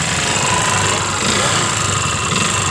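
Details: Yamaha Jupiter MX 135 found with oil empty and dry radiator, smoking exhaust: rough, fast ticking rattle steady with revs; worn, disintegrated water pump bearing, with camshaft/rocker or con-rod wear also suspected in the top end.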